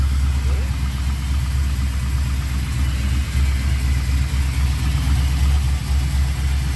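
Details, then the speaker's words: LS V8 in Chevrolet C10 on a Holley Terminator X, just started after ultrasonic injector cleaning: deep, lumpy, loping idle, running on six cylinders; cause was two loose spark plug wires, fixed. "what it was when i just fired it i had two loose sparkle wires"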